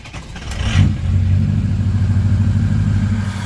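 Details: 6.0 Powerstroke diesel truck, Blue Spring mod fitted: engine catches after a second, then settles into a steady, even diesel clatter with no misses or knocks; sounds healthy.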